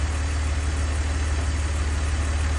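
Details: 2002 BMW 330Ci idle: low steady idle, even beat, no ticking; earlier tick gone, owner suspects collapsed lifter pumped back up or slightly under-torqued spark plug; smooth, healthy.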